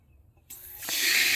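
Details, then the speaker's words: Sprinkler zone valve with B-Hyve wireless controller after replacing bad solenoid and rewiring: soft click then rising hiss of water as valve opens; previously made no noise, now works. "Now you hear that? You heard it come on. All right, so when I was doing that, it wasn't coming on. It wasn't making any noise at all."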